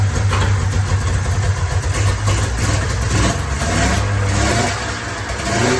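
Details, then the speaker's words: 1994 Polaris Indy 440 two-cylinder liquid-cooled two-stroke snowmobile, revived after sitting 12 years, running off tank fuel: revs up and settles back cleanly with a crisp, even note, no misses or rattles; running well. "certainly seems to be running pretty good"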